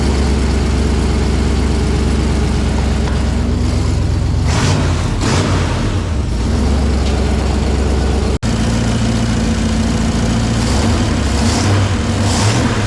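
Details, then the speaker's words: 1984 K5 Blazer V8 on Holley Sniper 2 EFI, just tuned, first startup after conversion: deep, even rumble with a short throttle blip settling back smoothly, no misses or knocks; good running motor, normal idle. "So we're gonna tune this, and then we're gonna do startup. Good running motor. Sounds good."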